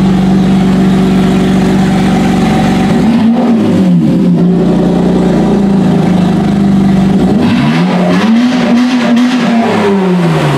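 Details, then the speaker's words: 2007 Honda Odyssey 3.5 V6 after fixing the no-power fault: strong, clean revs climbing and falling smoothly to high rpm, VTEC audible, no misfire; normal free revving. "well the old italian tune-up wins again folks there she is uh we could hear the v-tech ripping now"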